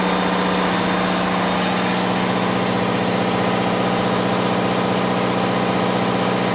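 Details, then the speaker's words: Onan DJC diesel generator, warmed up, load bank turned up to a little over 11 kW (bank rated 10 kW): steady even diesel drone with firm regular beat, no knocks or misses; carrying heavy load cleanly. "We got a little over 11 kilowatts right there. The load bank is rated at 10 kilowatts, but like any good made product, well, it's always underrated."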